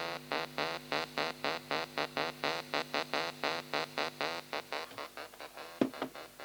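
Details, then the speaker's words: Pye 3214 cassette recorder with a wobble on the sound and strange noises: tape music plays in chopped pulses about four a second, pitch wobbling unsteadily; wow and flutter from the transport. "i wonder what's causing that rather listen [Music] foreign this label is peeling off yeah it's very wobbly"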